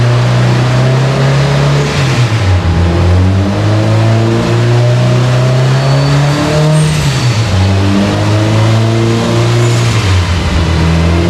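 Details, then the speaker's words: Subaru Forester STI with stock longblock, Precision 6870 rotated turbo and new coil packs, warm dyno pull: revs climb, then repeatedly stumble and fall back under load while AFR goes lean; breakup cause not confirmed. "so as you guys saw they're still broke up on that pole we definitely have something going on right now I can rev the car up as you guys are hearing there and it was break up"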